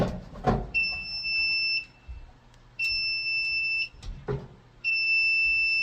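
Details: Apartment fire alarm panel before backup battery replacement: a high double-toned beep of about a second repeats every couple of seconds. This is the power-trouble signal from failing standby batteries with a nearly corroded terminal.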